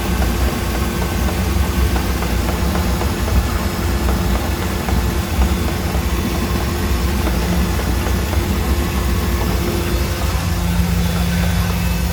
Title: Mercruiser 4.3 v6 knocking noise